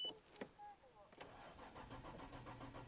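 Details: Nissan GT-R Nismo left unused for about 23 days; its battery is flat despite a brief charge. The starter turns weakly, slowly and unevenly, and the engine never catches. No start because of the weak battery.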